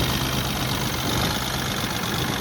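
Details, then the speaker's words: Car with an RPM-fluctuation complaint, still unsolved after a service visit: the idle wavers and hunts unevenly over a lumpy low rumble. Rough, fluctuating idle, cause not found. "भाई fluctuation तो वैसी ही हो रही है जैसी थी पहले भी"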